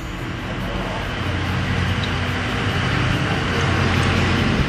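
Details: Yamaha 125Z two-stroke motorcycle, reassembled after hard starting blamed on thick carbon in the head rather than RON 97 fuel: fires and settles into a steady idle, building slightly, running cleanly without stumbling.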